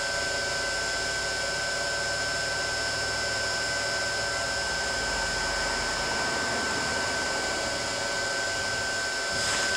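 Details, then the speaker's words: New electric motor on a 7.5 kW VFD for a glass crusher, spooling up to 60 Hz, measured 1803 rpm against the 1745 rpm nameplate. Smooth, even hum and steady high drive whine, no knocks or rubbing; normal motor run. "so it should take this motor up to its name plate rpm and you can see it there in the background spooling up"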